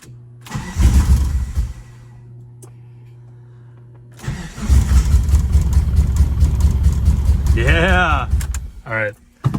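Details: Mitsubishi Eclipse AWD Spyder being rebuilt, coolant lines open or plugged: a short crank, then the engine catches and settles into a steady, even run with no misses or knocks; it starts fine and has good compression.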